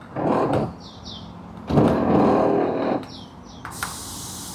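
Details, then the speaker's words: Zeekr 7X, about 5 months old, window switch pressed up after door replaced following an accident: two short motor whirring bursts but glass does not rise; closes manually; owner suspects door was fitted incorrectly. "Okay, so kalau kita tengok, kalau aku tekan naik atas, boleh dengar bunyi. Ada dengar bunyi motor dan tingkap memang tak naik lah."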